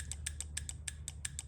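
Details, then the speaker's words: VVT solenoid from a 2007 Audi A8L D3 (P0024, misfires) tested on the bench after pulling a small debris piece out: crisp, solid, even clicks about six per second. It now actuates, moving about 1/16 inch. "I'll show you here now after with that piece out of there getting a nice solid click and this thing barely moves"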